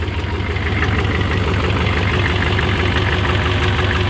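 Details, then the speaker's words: 6.5 diesel truck, slow 30–45 second starts, new relocated PMD: heavy idle with an uneven, lumpy beat of about three pulses a second; owner suspects excessive blow-by, white smoke lingers. Cause not confirmed. Rough idle. "As you can see, it runs extremely rough. Doesn't really make any additional noises that I see that's not supposed to be. It's a noisy truck anyway."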